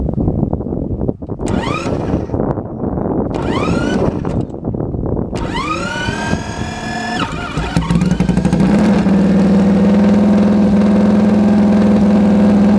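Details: Sidecar engine, first start after full rebuild: a few cranking attempts with rising revs, then it catches and settles into a crisp, sharp, steady idle; runs cleanly.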